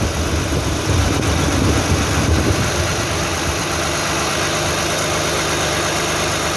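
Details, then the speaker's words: 2009 Toyota Highlander/Kluger 3.5 V6 after replacing noisy belt tensioner and drive belt: smooth, even idle with no chirp, squeal or tick from the accessory drive; noise gone. "so you can see no any noise now"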